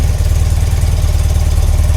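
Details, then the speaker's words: BMW R100RT boxer twin, no service history, previous owner 10 years touring Europe, reading around 73 (unit unstated), compression test planned: even, low idle thump with a throttle blip. No noise, tapping or knocking from the heads. "All right, which sounds healthy. And there's no no noise from the heads, no engine knocking, tapping, anything."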